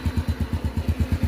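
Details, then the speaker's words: Engine with a new top end (pistons, rings, valves) that was still noisy; a worn, stretched timing chain was found. After replacing the chain and adjusting the valves, the idle is an even low thump, quiet like new. "แต่ตอนนี้เราก็ได้โอ้กดโซ่คะแล้วก็ตั้งวาล์วให้ใหม่นะครับว่าเสียงจะเป็นยังไงนะอาหารแอลเสียงเหมือนรถใหม่เลยครับเงียบกริบ"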